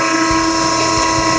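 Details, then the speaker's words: Vehicle barrier hydraulic system running: steady hiss over humming pump, pressure relief valve set too low (new valves preset 1000 psi; recommended ~150 psi above pressure switch cutout), bypassing so system won't reach cutoff; fix is tightening pressure bolt. "We recommend adjusting them to approximately 150 psi above the pressure switch cutout point. So I'm going to demonstrate how to adjust that. With the system running, you can hear this hissing."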